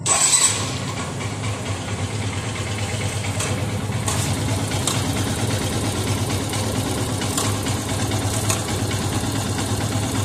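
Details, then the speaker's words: Yamaha FZS V3 single-cylinder bike idling with a coarse, tractor-like clatter from a loose, worn timing (cam) chain; tightening the chain adjuster bolt slightly reduces the noise, before timing chain replacement. "एकचोटी tractor जस्तो आवाज छ र यहाँ हुन्छ एउटा रबट र यसलाई भन्छ एडजस्टर मैले यहाँबाट थोरै यसलाई टाइट गर्यो भने अलिकति आवाज चाहिँ कम [सङ्गीत] हुन्छ।"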